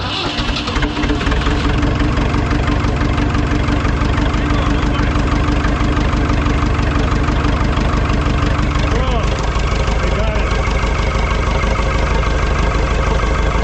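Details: Ford 2701E 240 cu in four-cylinder diesel (IEL) on a grapple log loader, running after sitting about 15 years: steady, even diesel chug at about three beats a second with no misses or stumbles; a healthy idle.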